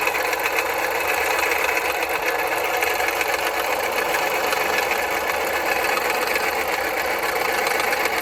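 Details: 2010 Jeep Patriot Sport 2.0 idling with rapid metallic clanking from belt-driven accessories; new power steering pump, pulleys, tensioner and belt didn't help; alternator replaced and noise went away. Failing alternator.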